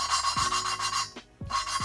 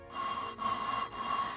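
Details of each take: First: Honda B17A1 VTEC head, hand lapping Ferrea valve with compound: dry gritty strokes start crusty then smooth out quickly, showing the valve seat is almost fully lapped. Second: Honda B17A1 VTEC head for CRX, lapping Ferrea valves with grinding compound: three gritty sandy rasping strokes, seat not yet mated; keep lapping until smooth, tapping valve on seat between rounds.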